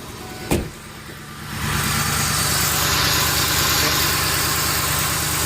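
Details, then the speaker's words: Ford Explorer idling after broken exhaust manifold studs were fixed with new gaskets and the old bolts reused: catches and settles into a smooth, even idle with no ticking or puffing from the manifold. No more leaks. "it sounds really good. You can hear me talk. No more leaks, so I'm happy there."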